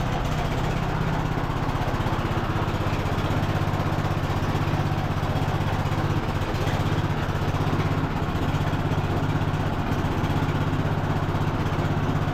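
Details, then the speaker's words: Cub Cadet LT1045 riding mower, just revived, driven to test functions: small engine with steady, even chug, no grinding or whine from the drive; transmission sounds smooth, drive belt still to check. "transm sounds fine nice and smooth we're going to have to check the drive belt on it but"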